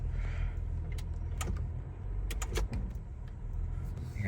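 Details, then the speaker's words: 1996 Isuzu Trooper automatic, about 220k miles, driving (not in power mode): a single dull clunk through the engine drone on a downshift as revs drop. A harsh automatic shift is suspected. "that clunk. See the RPMs drop a little more."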